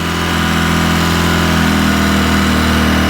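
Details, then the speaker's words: 2010 Polaris Ranger RZR 800 S on first start after engine rebuild, check engine light on: fast, steady droning idle that creeps up and never settles; idle too high. "Not sure why it's so high of an idle right now. I really don't like it being that high. That's kind of weird why it's doing that, why it's so high."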